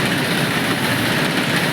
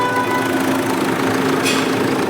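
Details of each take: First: Idling engine with a constant rough whirring hiss from a worn, scarred auto tensioner and idler pulley, also blamed for damaging the alternator; bearing noise from the worn tensioner and idler pulley. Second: Smooth, even idle with a steady low hum and no ticking, squealing or rattling after three noisy parts were replaced; engine now quiet and normal.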